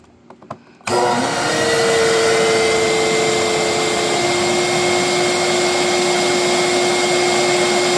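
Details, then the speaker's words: Mid-to-late-1980s Electrolux 2100 canister vacuum, hose and power nozzle disconnected: motor spins up to a loud steady howl with a sharp high whistle, rougher than other Electroluxes; owner unsure if motor is failing or a louder replacement. "I just don't, that don't sound like your typical old school Electrolux, in my opinion. My Marquee and my Golden Jubilee sounds better than this. And I don't know if the motor's been replaced."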